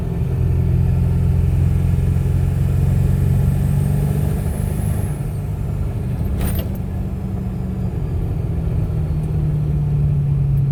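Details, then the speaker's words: Ford 7.3 Powerstroke diesel with KC300X turbo, power loss and slow spool: diesel rumble with faint rising turbo whistle and rough puffing, an exhaust leak at the turbo up pipes. "i think it kind of sounds like an exhaust leak"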